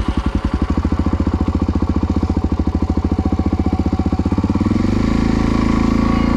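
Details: Brand new Honda 50cc motorbike running after being started without throttle: quick, even low thumping that picks up smoothly to a higher steady note, running clean and healthy.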